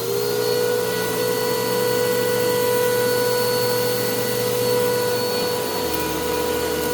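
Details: Bissell PowerClean OnePass (35831) vacuum, used Goodwill unit, running after its long-clogged filter was cleaned and airflow unblocked: steady high motor whine with several fixed tones over the airflow rush. The motor is still noisy; owner unsure if it is bearings or dirt in the impeller.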